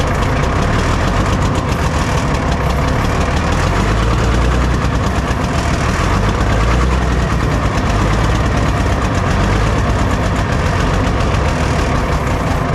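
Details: Cat 977K track loader diesel being looked at for purchase: runs low and loud with an uneven, lumpy thump; owner thinks it is starving for fuel.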